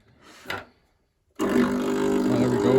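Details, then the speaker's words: Gaggia Viva espresso machine that steams but gives no hot water: after a brief knock, the pump drones loud and even with no change in note, running without sucking water; the cause was a blocked jet, clearable by unscrewing it and cleaning with wire. "It's making noise. But it doesn't appear to be sucking, and that's the issue. And I would expect it to suck"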